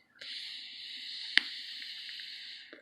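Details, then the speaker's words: Suorin Drop pod vape revived after being completely dead and left to dry out: soft hissy few-second draw with faint fizzing crackle through it; the coil is hitting well again, working normally. "you can even hear that crackle you know when you hear that crackling noise those jicama so I'm getting really good hits off off of this one"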